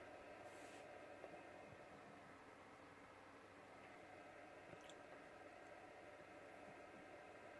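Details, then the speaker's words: Xfinity X1 cable box: steady unchanging whoosh with faint tonal hum, no surges; cooling fan runs constantly and loudly even with the box powered off. "you hear it anyway that is the fan noise that goes constant regardless if the flowers off"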